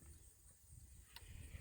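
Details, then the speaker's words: Solar electric fence charger being brought into operation: a single sharp, dry tick pulses out of quiet outdoor background, showing the energizer is working with plenty of output. "all right that tells me it's working we've got a lot of juice there according to that"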